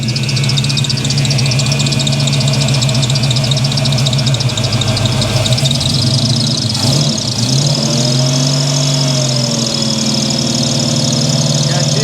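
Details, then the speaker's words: 1983 Chevy C10 with 350 small block V8, sat unused for a couple of years: loud, lumpy, rich-smelling idle with uneven stumbling beat; the two primary carburetor jets dribble and dump gasoline with no spray pattern instead of atomizing, causing rough running. "the thing reeks of Rich fuel those uh the two primary Jets here and here those things are just dumping gasoline in there"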